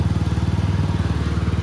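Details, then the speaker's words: 2021 TVS Apache RTR 200 4V BS6, 16,300 km, after warranty engine rebuild for tappet noise and third-gear whine: quick, even exhaust pulses with low steady thump and no ticking; the engine sounds clean and healthy. "बहुत ज्यादा difference है आवाज़ में मुझे typical mechanical sound था ना it's गान sound भी चेंज हो चुका है गाड़ी का अच्छा खास चेंज हुआ है"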